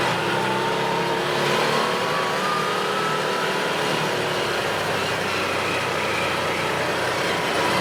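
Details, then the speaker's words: 2017 Odes side-by-side driving after the fix: steady, even engine and road noise with no surging, bucking or sputtering, because the gear position sensor no longer jumps to neutral or reverse and upsets the fuel enable; the engine runs normally. "So boom, right there, no more hesitation, no more spitting and sputtering, because that gear position sensor is no longer jumping around, showing neutral or reverse or any of that crazy stuff and kicking that fuel enable in."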